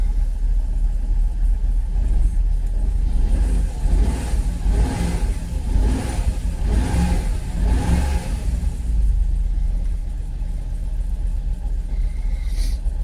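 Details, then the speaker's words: Jaguar XKR (X100) V8 just started on a cold morning, before the ECU hard reset: deep, uneven, lumpy idle with surging revs; owner thinks it is not firing on all 8 cylinders. Rough idle, cause unconfirmed. "I don't know. I don't think it's firing on all 8."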